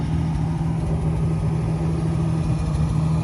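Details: 1971 Ford F-350 crew cab straight six, running after 20 years parked, after a short drive: smooth, even idle with a steady low rumble and no squeak or chirp over it; the earlier squeak has stopped and the engine runs healthy.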